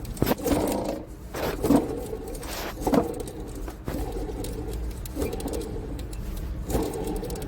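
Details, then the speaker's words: Mercedes-Benz E350 with owner complaints of engine noise; drive belt removed, alternator turned by hand gives a dry, gritty scrape in slow uneven bursts, about one a second, suggesting a rough bearing; alternator to be removed for repair. "Я думаю слышно В общем необходимо снимать генератор и вести его в ремонт"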